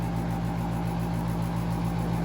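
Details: Central AC outdoor unit serving a master bedroom in Woodbury, New York won't turn off: a steady compressor hum with even fan pulsing, never cycling off. A single-pole contactor stuck closed ran the compressor continuously over a long holiday weekend.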